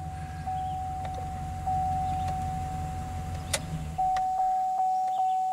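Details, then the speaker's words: 2013 Chevy Silverado 2500HD with code P0340 camshaft position sensor circuit fault: starter churns steadily about four seconds, engine tries to catch but never fires, with a steady chime; extended crank, no start, attributed to the cam sensor fault. "yep so definitely an extended crank it was trying to catch but could not"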